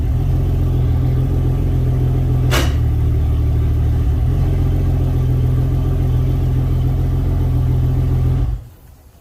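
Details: Yamaha outboard on a Contender 32CC: deep steady rumble, one sharp clunk into gear, then smooth running until shutdown. Normal running in gear; trim-up fault suspected as relay or trim motor.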